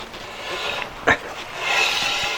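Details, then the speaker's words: 1997 BMW Z3 1.9 M44, front left wheel turned by hand with brakes released: dry scraping rub from a badly sticking caliper dragging; disc turned pinky from overheating, pads worn down by constant drag. "You can hear that is sticking quite badly, and if you take a look, the disc is that sort of pinky colour, which means that it's been overheating, and that's not a good situation."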